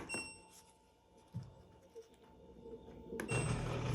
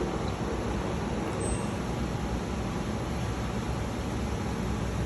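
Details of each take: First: LG direct-drive washer that won't drain, heard in diagnostic mode: thin steady whine, then rough loud buzzing hum as the drain pump engages with nothing blocking it; pump judged bad, to be replaced. Failing drain pump. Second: LG direct-drive washer after drain pump replacement, running a drain cycle: even low hum and a steady watery whir with no rattle or grinding; the new pump drains normally.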